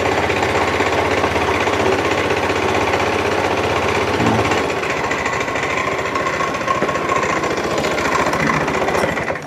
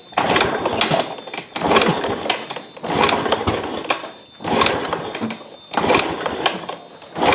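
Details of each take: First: Fuel-injected small scooter brought in dead, running again after its spark plug cap was replaced: steady, even putter of about four beats a second before shutting off. Normal idle. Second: Fuel-injected motorcycle brought in pushed, dead: six hard kick-start strokes about a second apart, each a rattling churn that dies without catching. Cranks but won't start; a spark problem is suspected and being checked at the plug cap.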